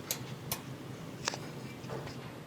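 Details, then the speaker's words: Whirlpool dryer, broken-belt repair: with the drum out, new belt looped and the tensioner pulley pulled up, the belt safety switch (which cuts motor, heat and blower if the belt breaks) gives three sharp, dry clicks, operating normally. "You can see I put the belt around here and pull up on the pulley, and you can hear the safety switch clicking."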